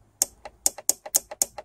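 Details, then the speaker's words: 2003 Holden VY Commodore 3.8L V6 4L60E transmission in limp mode, shift solenoid bench-tested with 4 volts after flushing out debris: sharp, crisp clicks about four per second with softer echo; this solenoid is working. "and you can pull these apart and flush them out and kiss them and you can hear this one will actually even work click"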